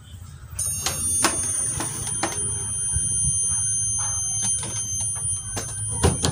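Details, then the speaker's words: Samsung CS21D500HT CRT TV that will not turn on: at switch-on a thin, steady high squeal with clicks, but no picture. The horizontal output transistor is suspected, not confirmed. "Menjerit guys, menjerit. Saya cabut, masih nggak mau hidup rupanya."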